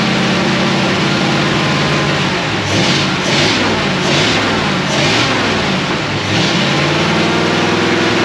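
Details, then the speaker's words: 1937 Ford with a 59AB flathead on a hot, humid day, after the failed new condenser was swapped for an old used one: the engine runs steadily and picks up cleanly when revved, with no misfire. Running right after the repair. "it was a condenser the cheap freaking junk condenser i bought from whoever bob drinker that one of the hot rod places had failed"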